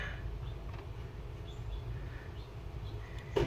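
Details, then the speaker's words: 2007 Chevy Cobalt LS passenger-side blend door actuator after zip-tie fix: low steady cabin hum, no repeated clicking, one soft knock as the flap settles; the stripped gear teeth are no longer hit. "it hits it and it doesn't hit that gear guess what no more annoying 10 to 15 second click noise every freaking morning when you start your car"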